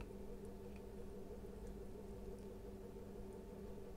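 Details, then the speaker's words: Atomberg Renesa Plus 1400mm BLDC ceiling fan after replacing faulty circuit board (restarting, vibration), at high speed: steady low even hum, no knocking, rubbing or rattle; runs smoothly, old board was the fault. "कि इस motor में जो circuit board change किया हो तो motor बिलकुल smooth घूम रहा है"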